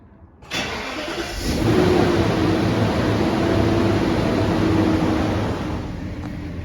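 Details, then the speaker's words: 1999 Bentley Arnage, microphone outside the car by the open window: clean crank and catch, then an even settling idle with smooth firing and no ticks or knocks; normal-sounding cold start. "Sounds like it should. At least I'm pretty sure that's how it's supposed to sound."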